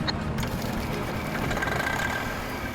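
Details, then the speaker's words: Pickup truck recovered after crashing into creek, engine restarted after checking for intake debris: steady, even diesel rumble with no knocks or rattles; normal running while oil pressure and clutch travel are checked. "Mike gets the engine running and does a quick inspection as the oil pressure injector clutch travel make sure is not binding"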